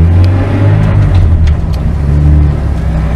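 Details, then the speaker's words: ZF S5-42 manual transmission freshly rebuilt for bearing noise, hard 3rd-to-2nd downshifts and throttle slop, driven about 100–140 miles: steady low gear whine through all gears, rising with road speed; owner considers it normal for these gearboxes. "you hear that whining through all the gears it's done that before it does that now but I think that's normal"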